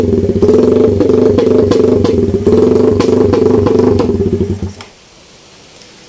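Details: Idle after basic NK ECU tuning, with the idle roughly dialed in but not yet confirmed. Even, steady putt at about four beats per second for several seconds before cutting out. Normal idle.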